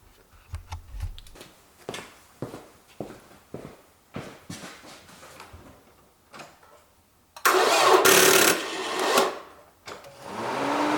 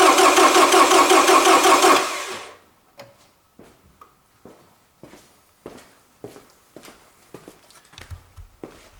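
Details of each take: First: Toyota Camry cranking, watched at the drive belt by the alternator: slow, even cranking beats about three a second before the engine catches and roars up; slow cranking, a possible bad battery. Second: Toyota Camry cranking on a good battery with empty fuel tank; about two seconds of fast, even cranking that never catches, then quiet clicks; starter spins engine strongly; normal strong cranking, no start due to no fuel.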